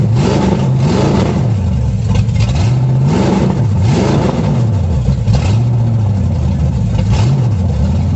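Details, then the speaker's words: 350 V8 in a 1937 Dodge Brothers, first start after correcting firing order: deep, even rumble rising and falling with throttle blips, no misfire or backfire; idle set a little low, timing unverified, carburetor not yet adjusted, sounds good. "Idle set a little low. Don't know if the timing's right. I just played with it some, but it sounds good."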